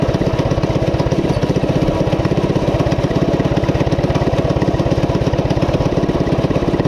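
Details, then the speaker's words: Coleman CT200U-A minibike, 196cc single, at idle after new carb gasket: fast, even popping about three beats a second, staying revved instead of settling despite carb adjustments. High idle; cause unknown, owner wonders about the clutch. "I just uh man I don't know I cannot get it to uh to mellow out it'll run okay on those adjustments"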